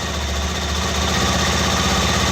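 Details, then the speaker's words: Benelli TNT 25 single-cylinder motorcycle after repairing the worn clutch basket, exhaust partly covered: smooth, even idle with a steady low beat and no clutch-side clacking; the engine sounds very quiet and healthy. "se escucha muy silencioso el motor"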